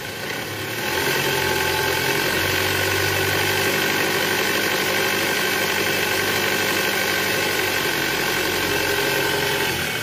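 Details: Toyota Alphard petrol engine after replacing the old growling (ngorok) belt tensioner with a new one: engine rises briefly on throttle, then settles to a smooth, even idle with no growl from the belt drive; new tensioner no longer vibrates.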